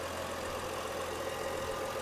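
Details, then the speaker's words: BMW X5 35i auction no-start car running after a low-pressure fuel pump replacement: a quiet, even idle with a smooth hum and no knocks or stumbles. Coolant tank getting hot, valve cover gasket leak likely smoking. Engine otherwise runs well, normal idle. "seems to be running good otherwise cooling tank is getting hot"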